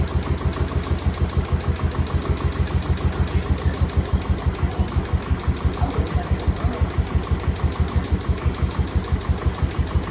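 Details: Cub Cadet 1250 hydrostatic, sat 20 years, after adding gas: even low thump about three beats a second, quiet, no smoke, no knock or misfire; clean idle.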